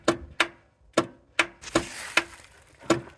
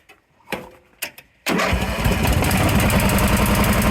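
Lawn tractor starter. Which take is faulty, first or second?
first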